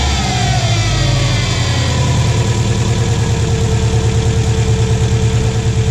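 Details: 2006 Subaru Forester 2.5 after replacing all four coil packs and spark plugs. A steady, even idle with a smooth low pulse and no misfire stumble: normal idle.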